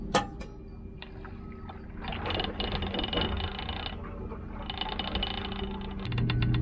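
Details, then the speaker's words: Well pump running after a Square D Pumptrol 40-60 pressure switch replacement: low steady hum with light irregular pipe rattle while purging air through an open hose, no pressure built yet. "right, so you heard the well kick on. You can hear that little bit of rattle with the pipes, meaning that the pump's rolling. We're not gaining any pressure yet because we're purging the whole system."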